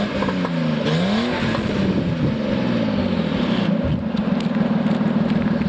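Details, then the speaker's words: 1989 Nissan Skyline GTS-T Type-M, possibly modified: deep engine note on free revs with rapid puffing tick from an exhaust leak that sounds near where the front pipe meets the rest of the exhaust, plus light crackle. "I think it's a pretty good sounding engine aside from that exhaust leak."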